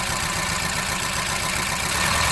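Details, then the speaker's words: Hyundai Accent engine at idle with a bad misfire (cylinder 4 later found bad); a good cylinder's ignition coil is pulled. Idle turns rougher and uneven, plainly missing with the cylinder dropped, showing it was firing. "And you see how the engine got worse, right? That's how you know that cylinder is working. That's what you want to see."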